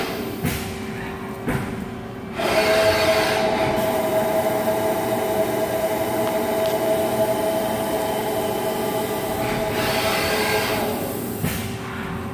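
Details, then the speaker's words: Haas ST-20 CNC lathe spindle runs with a steady mid-pitched whine and fainter lower tone, getting louder over time; owner suspects spindle bearings going bad, also noting inconsistent parting-off finishes as if the part moves in and out. "okay this is our st 20 machine and i believe we got spindle bearings getting ready to go bad but i want you all to listen to this and just let me know what you think i noticed it's been getting louder"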